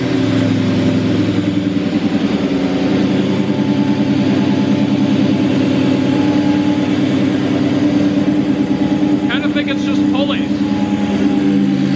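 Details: 2003–2004 SVT Cobra supercharged V8 on first start after a full engine rebuild, warming up. Steady idle carries a gear-like whirring rattle that tracks engine speed from the front of the engine; source unconfirmed. Valvetrain is quieting, with no blowby.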